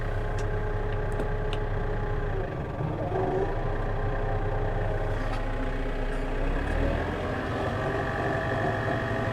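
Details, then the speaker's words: Maschio Giraffa 210 XL topper on a Case tractor, just back with a new rotor bearing, temperature up off the blue: steady even rotor drone, no knock or rumble, much quieter; normal running after repair. "Yeah, that sounds a lot quieter. Well, so far so good."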